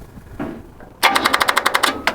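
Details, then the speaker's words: Hot-wired 1953 GMC pickup: rapid clattering clicks about nine per second for a second with no catch; the starter is chattering because the battery is too low. "don't got enough juice in the battery yeah yeah you're right it did"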